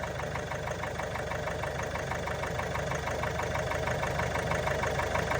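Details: Range Rover Velar 2.0 D240 Ingenium diesel, engine warning light on: steady light tapping over idle, seemingly top end; tapping goes away when revving, cause not yet found.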